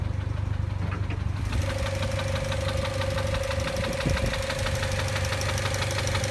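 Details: 2006 Mazda NC Miata at steady idle with a light, fairly regular top-end tick about three times a second. Cause uncertain; a VVT actuator noise is suspected.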